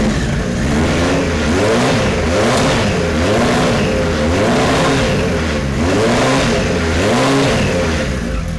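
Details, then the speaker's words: 1973 Kawasaki Z1 900 four, started with enricher after swapping plug caps to non-resistor: blipped repeatedly, revs rise and fall unevenly with a ragged note, running worse than the day before; rough, cause not confirmed. "well now it's not running as good as it did yesterday he just doesn't want to run little bit better"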